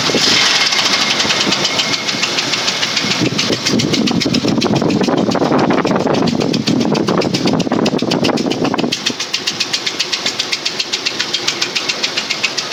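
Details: 2003 Ford Explorer 4.0 running: sharp regular knocking, roughly four beats a second, rides over the engine and stands out clearly near the end; engine knock.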